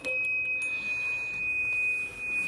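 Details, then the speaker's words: Drake TR4 on 40 meters: thin steady high whistle over faint receiver hiss as the set breaks into oscillation; owner suspects RF amp has too much gain, missing tube shields, shielding the tube stops it. "so maybe the rf amp has too much gain i don't know but it's a real nasty little problem"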